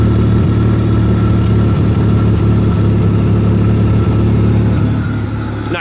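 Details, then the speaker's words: 1995 Buick Regal derby car idling after replacing a failed ignition coil: mostly steady beat with occasional stumble; constant misfire now intermittent, spark plug wire still suspected. "lot better still a little bit of misfire like i said but not terrible you guys can hear it"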